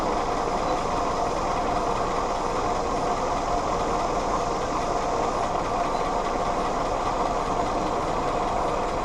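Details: Willys CJ2a Jeep with Kaiser L134 Go Devil four-cylinder, original carburetor refitted, vacuum advance just reconnected (it had been dying on throttle): steady, even run, no misses or knocks; vacuum system helped. Owner suspects possible head gasket leak from oily coolant.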